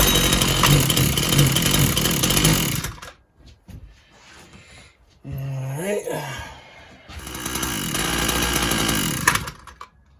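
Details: Husqvarna 122LK trimmer after carburetor parts and gasket were replaced: buzzes hard, drops almost silent, sputters back and dies again, the same cutting out as before, as if losing ignition; owner is not convinced it is fuel related.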